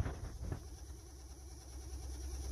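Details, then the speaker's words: 2013 Honda Civic with heater/AC blower on low then higher: low hum with a fast, wavering flutter from debris in the blower wheel cage; the alternative suspect was a failing blower motor. "listen to this when the heater or the air conditioning on the blower motor makes a little funny noise"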